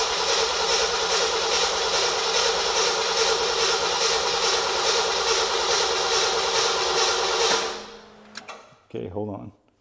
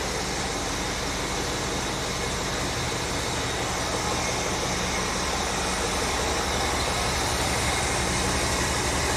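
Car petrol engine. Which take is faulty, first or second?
first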